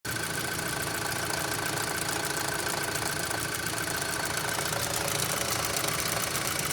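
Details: 2006 Audi A3 2.0L at idle: fast, somewhat uneven knock about three per second over the engine hum, still present after the oil sump was cleared; source unknown.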